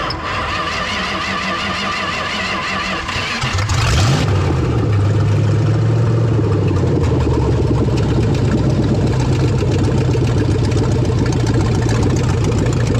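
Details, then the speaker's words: Revived 1970 Dodge Charger V8 with a blow-by check, oil cap pulled: catches after a few seconds of cranking and settles into a steady, even idle with light revs and no knocks; only light steam from the cap, engine healthy. "Just a real light steam, not even that bad. This thing still has a lot of life left in it."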